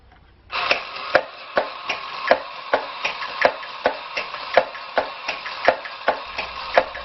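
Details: Mambo electric drumming bear toy that had not worked, fixed with a drop of super glue and reassembled: sharp drum taps about once a second over a light motor whir, keeping a steady beat; drumming mechanism now working properly.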